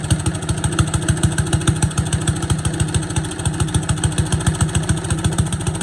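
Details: Boland's 3.5 chipper shredder, unused for at least 20 years, running on its own gas tank without starting fluid, fuel line dripping slightly: even, rapid putter from a small single holding a steady speed without misses; running normally.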